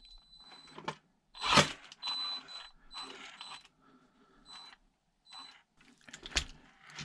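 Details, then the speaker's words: ISDT ESC70 brushed ESC (prerelease unit) set to rock crawler mode, which automatically sets a 4 kHz PWM frequency; a thin steady high whistle sounds with each short burst of motor running. "automatically the pwm frequency is set to 4 kilohertz and that's of course awful i hope you can hear the esc super noisy"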